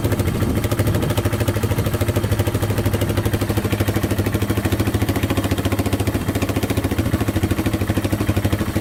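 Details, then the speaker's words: Yamaha Wolverine 350 4x4 ATV (last registered 1999) after carburettor cleaning and fresh fuel; single-cylinder picks up cleanly, holding an even rapid firing rhythm without choke; still smoking heavily, owner to check oil. "still smoking pretty good but uh revs out without the choke now all right so it definitely runs a lot better with that carb clean"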